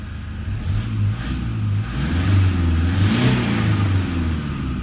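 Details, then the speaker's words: 2012 Toyota Hilux Vigo diesel at 276,000 km with injectors believed never changed, free revving during inspection: revs up and settles smoothly with a clean rising note, no injector rattle or knock at all; exceptionally quiet engine. "that is one of the quietest bloody hiluxes i've ever heard [Music] can you hear it is just clean engine revving no rattle at all whatsoever"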